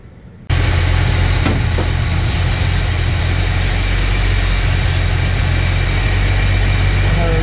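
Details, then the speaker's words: Rochester B carburetor on C10, low idle with brake cleaner sprayed at play-worn throttle shaft: low lumpy uneven idle that smooths and revs up slightly; vacuum leak at worn, bent throttle shaft, fixed with brass bushings. "So what I'm going to do is I'm going to get it to idle at a low speed, and then I'm going to just squirt some of this brake cleaner right around the back of the carburetor there where the shaft goes in, and I noticed that little bit of play. And we'll see if you can hear a smoothing out of the engine."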